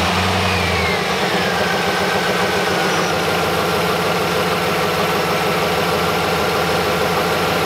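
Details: 2003 Dodge 2500 after condenser fan replacement and battery reconnected: steady idle, then about one second in a new whooshing tone joins and settles lower as the replacement fan kicks on normally.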